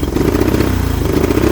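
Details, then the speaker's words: 1983 Honda 200E three-wheeler single-cylinder at full throttle with air filter out: uneven, lumpy beat that won't settle and dies at idle despite carburetor adjustments; carburetor fault suspected. "It doesn't want to run right. I've taken this carburetor off twice now. Done some adjusting. And it just still don't want to run right."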